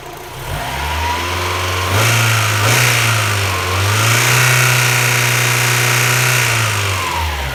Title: Claquement / Ticking Noise Moteur B6 engine MX-5 Eunos Roadster Miata